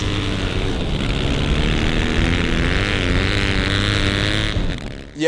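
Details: Freshly rebuilt twin with a new barrel, heard from the front, idling with an even, crisp beat and picking up cleanly on a little throttle; no knocks or rattles, a healthy, well-assembled engine.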